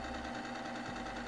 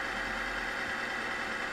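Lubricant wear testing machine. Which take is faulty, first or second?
second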